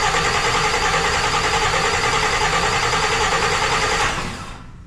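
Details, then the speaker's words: Engine's test crank with no gas in tank, fluids filled, building oil pressure: even starter whir with steady compression pulses about three per second for four seconds, then spins down; normal cranking. "everything sounds right everything sounds good"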